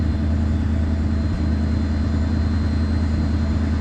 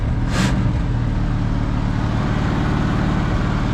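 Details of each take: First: 1973 Mercury Grand Marquis with 429 Ford V8, C6 transmission and 55k original miles, after cleaning fouled plugs and freeing a stuck choke: deep, steady idle with an even beat, no racing or surging; idle sits low as it should. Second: 1973 Mercury Grand Marquis, 429 Ford big-block V8, C6 transmission, 55k miles, long parked, fouled plugs found: fast, steady high idle with even low rumble; choke stuck on.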